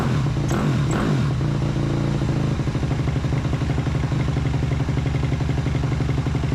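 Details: 2008 Suzuki RM-Z250 after a carburetor and engine rebuild, hard to start: single-cylinder thumping at a slow, uneven idle with a hollow sucking note from the carb; owner thinks the idle screw was set too low.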